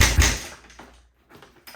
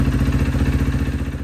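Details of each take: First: Rebuilt 2012 Kawasaki KX250F, first start: after a few kicks fires into a fast rattly idle with a light tick on top; intake valve clearance out of spec, valve floating. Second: 2012 Kawasaki KX250F after full engine rebuild, idling after re-shimming out-of-spec intake valves that caused ticking; steady even single-cylinder idle with a clean low thump and no top-end ticking.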